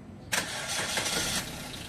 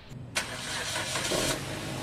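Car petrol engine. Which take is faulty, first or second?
second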